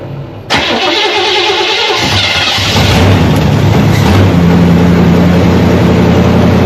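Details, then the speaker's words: 1979 Chevy C10 with 305 V8, sitting for years, fires almost instantly on first crank after brake cleaner down the carburetor bowl (owner suspects weak fuel delivery from jerry-rigged line), then settles into a steady, even idle with no misses or knocks; normal start and idle. "Wow, I can't believe how easy that thing fired up. It was like it wasn't even sitting at all."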